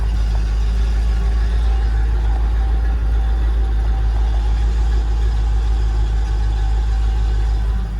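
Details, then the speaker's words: Land Rover Discovery II at idle: even, steady idle with a faint constant hum over it as the AC compressor engages and runs normally. "i hear the i hear a compressor hold on a second"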